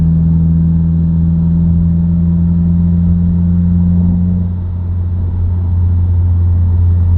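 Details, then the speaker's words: Subaru WRX, inside cabin while driving, shifting in and out of gear: steady low droning buzz that drops lower and continues, independent of revs and gear, higher pitch with speed; dealership diagnosed broken center diff viscous coupler. "Can you hear that little buzzing noise? It'll speed up and get higher pitch as I go faster."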